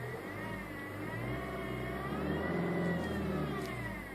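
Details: 2010 Toyota Yaris 1.4 D-4D diesel, 40,000 miles, fully serviced, idling: steady high-pitched whirr drifting with engine speed from the alternator/tensioner/water pump area; alternator already replaced without change, belt tensioner next to check.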